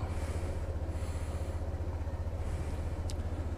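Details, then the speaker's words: Honda Click 150i scooter losing idle when stopped: starts fine and revs strong at first, then single-cylinder idle thumping fades and the engine stalls; idle adjustment didn't help, cause not yet confirmed. Stalling at idle. "kaya lang sa unang bira niya malakas siya hihina ayan wala na patay na so yan ang sakit niya"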